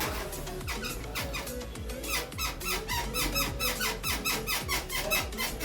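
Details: Royal Enfield motorcycle rear shock absorber: rhythmic high squeaks about two a second as the suspension works, music behind.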